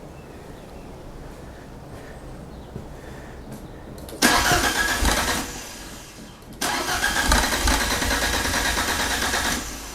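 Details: Fiat Panda with swapped Abarth Panda Turbo T-Jet engine: two long cranking bursts, starter churning steadily but never catching; hard start, owner suspects fuel pressure though plenty of fuel.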